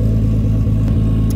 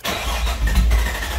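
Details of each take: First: R33 Skyline GTST, previously idling 300 rpm low with AFRs 16+, now after cleaning idle air control valve: steady even low rumble, smooth firing, no misses or hunting; normal idle, warming up. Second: R33 Skyline GTST after cleaning gunked idle air control valve and setting idle screw toward 1000 rpm: starter churns about 3.5 beats/sec for five seconds, never catches; crank no start, owner suspects the idle air screw needs backing out.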